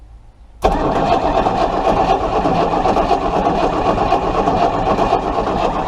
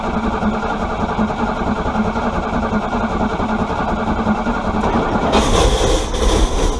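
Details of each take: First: Chrysler 318 V8 cranked during a spark test, still no spark; starter spins it at an even four or so beats per second but it never fires: crank, no start. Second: Chrysler 318 V8 being brought back to running: it runs steady and even, takes a quick throttle blip and settles back to an even beat, sounding fine.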